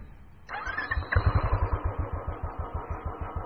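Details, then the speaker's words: Royal Enfield Classic 350, about 7400 km, long-stroke single with stainless steel exhaust pipe, engine warmed up: slow loud even thump-thump beat around two hundred a minute; healthy warm idle. "the engine is warmed up now and you can clearly hear the beats on this bike. And this has got one of the best idling sounds on any bike in India."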